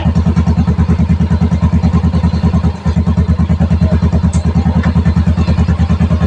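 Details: Yamaha Mio i125 scooter that stalled and would not start, troubleshot at the shop; battery new and charged, blown fuse to be replaced. Steady, even putter at idle with regular firing pulses and no knocks or misses; runs normally.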